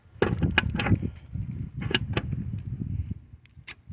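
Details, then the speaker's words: Honda fuel door lock actuator just replaced behind trunk liner, cable reattached: short crisp clunks in separate bursts as it cycles lock/open, no grinding like before; actuator working properly. "All right, now listen to it. See, that's different from that grinding noise. See that? It's locked, open, lock, open, lock."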